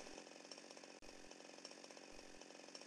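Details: Small two-stroke chainsaw idling steadily after the L (low-speed) carburettor screw, previously set too far out and over-fuelling, was turned clockwise; rapid firing beat even apart from one brief dip, normal idle.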